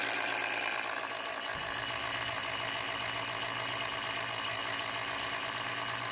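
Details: MSI PE60 6QE gaming laptop: steady loud airy rush with a faint constant whine, no pulsing; cooling fan running far too loud, unrepaired.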